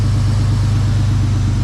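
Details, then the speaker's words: Race vehicle after a crash pushed the radiator shroud into the pulleys and belt: steady low even idle, regular beat, no squeak, knock or rattle; quiet and healthy. "Start it up and see if it makes any noise. It doesn't. No, it's just self-clearance."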